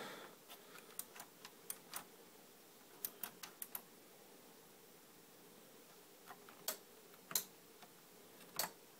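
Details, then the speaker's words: Faulty surround sound receiver, fuses good, suspected burnt part and random loose ground: sharp irregular clicks in clusters over faint hum, no audio, never powers up; clicks when wiggled near a green transistor, sparks seen; cause unconfirmed. "nothing just clicks and clicks and clicks but I did see some Sparks over there"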